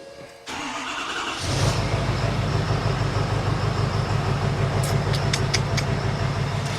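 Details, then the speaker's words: Ford F350 6.7 PowerStroke diesel, no-start with injector high-side short codes P1291/P1292: with internally shorted injectors 7 and 8 unplugged and PCM reconnected, brief crank then steady even idle. "after finding both of our shed injectors number seven and number eight here we have both of those unplugged we're going to plug this PCM back up just to prove it to you"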